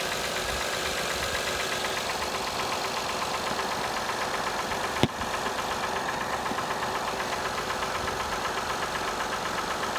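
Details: 2005 Acura TL V6, 172,300 miles, cold start and rev; a fast, uneven light knocking over the idle with one sharp click midway; engine knock, cause not identified.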